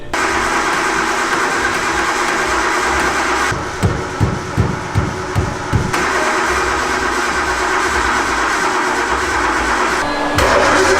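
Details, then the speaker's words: Freshly painted car, possibly left out in rain with suspected electrical damage: about nine slow even cranking pulses, engine never catches; cranks but won't start, noid light later did not flash, power not yet tested. "noah had a very good like point something's just not working like the car's just not running"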